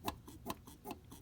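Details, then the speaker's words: Mercedes 190SL old mechanical fuel pump lever pumped by hand: sharp squeaks about every 0.4 seconds, lever moves freely, not seized; resistance depends on engine cam position. "all right so we're squeaking uh remember this works off of a cam so that if the cam on the um inside the engine is in the wrong location you will get no resistance"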